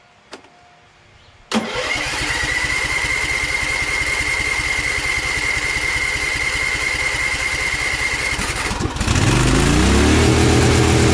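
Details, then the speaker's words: Briggs & Stratton Vanguard 23HP V-twin: cranks and catches, then about nine seconds in the revs climb sharply and hold high. Overspeed; governor suspected disconnected, unconfirmed. "I shut it off immediately because you saw how high the RPMs were, like the throttle is completely out of control."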